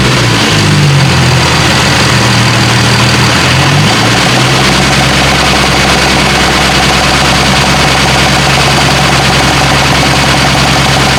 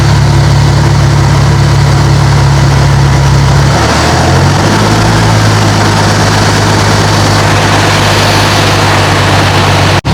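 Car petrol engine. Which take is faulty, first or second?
first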